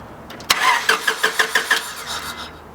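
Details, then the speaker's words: Honda Civic crank no start, fuel line disconnected, cranking about two seconds: about six even compression pulses a second but never fires; no fuel from the line. "alright trying to start the car hmm try and start it for two seconds alright yeah yup there's no fuel coming from the fuel line"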